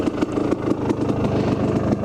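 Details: Kawasaki KDX250 two-stroke with a new motor, choke off, 38 pilot, stock needle in position two, 155 main jet, FMF Gold Series Fatty pipe, stock silencer with spark arrestor, at 4,000–4,500 ft: crisp, slightly uneven burble, no rattles or knocks; normal idle.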